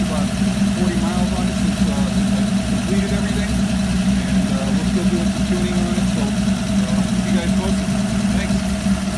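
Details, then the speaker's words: Ford 200 inline six with FiTech fuel injection and a new, louder exhaust at idle: a steady, even low drone with no knocks, misses or hunting. Owner says it sounds like a small block; normal healthy idle. "so now we're uh got a little bit of a different exhaust a little bit more verbally I think it still sounds like a spot block to me"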